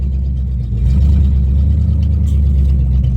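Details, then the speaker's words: Mustang GT V8 on open headers with check engine light on, first drive test after 8.8 rear axle rebuild following spool failure; loud, deep, uneven pulses about four per second, running rough. "oh oh that sounds rough does it move oh my God it moves"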